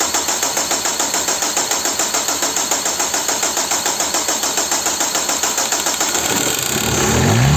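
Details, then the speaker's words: Peugeot/Citroën 1.9 DW8 diesel, cold: long steady cranking before it catches, since the opened pump let air in and needs priming; a broken leak-off (sobrante) return tube is also suspected. "It has cost so much because the pump is open. Well, it hasn't gotten much air out there. I already have to prime it."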